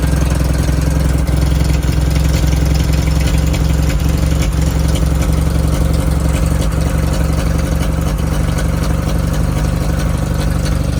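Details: 1988 Suzuki Samurai parked since the late 1990s, straight-piped with no exhaust or muffler: loud, raw, steady popping idle with deep, harsh unmuffled exhaust pulses.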